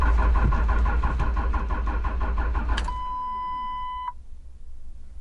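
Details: Third-gen Dodge Ram Mega Cab Cummins with electrical faults and a reset TIPM; steady starter cranking with no combustion, then an electronic chime; cranks but won't start, codes P2609 intake air heater performance and P2509 ECM/PCM power input intermittent.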